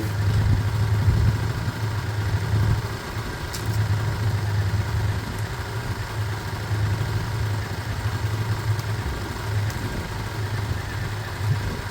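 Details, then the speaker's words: 125 motorcycle (Lexmoto Michigan or Herald Classic 125), said to be practically done. It idles a couple of minutes to circulate oil, warming up with a steady, even low thrum and no knocks or misses. It is a normal warm-up idle and sounds good. "it sounds good it sounds good I'm going to start wrapping up around it warming up"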